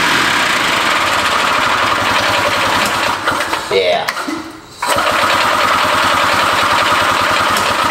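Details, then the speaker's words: Barn-find Harley Davidson golf cart two-stroke engine, no drive belt, carb hand-filled with two-stroke gas plus ether: rough, uneven putter that stumbles and nearly cuts out as the carburetor runs empty; fuel starvation. "it runs but it runs out of fuel real quick I don't know did I yeah carburetor's empty now"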